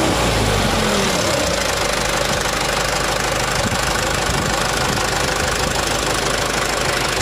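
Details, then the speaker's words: Mitsubishi Canter HDL 136 diesel after replacing the broken injection pump timer, bearings found unscratched; loud, even roar held under revs with no knocks, misses or rattles; engine still smooth and normal. "Ya enternya suaranya masih halus mesin Ada kemungkinan ya masih normal"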